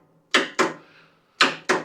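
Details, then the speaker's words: Country Clipper Challenger 52-inch zero-turn mower that won't crank, parking brake on, PTO down: sharp dry clicks as key is turned, engine never turns over; suspected bad solenoid or starter, or locked engine, unconfirmed. "I get one single solid click out of the machine when I turn it. We'll test the battery and everything, but what that's likely telling us is that the battery's good. It's likely telling us either the solenoid or the starter's bad."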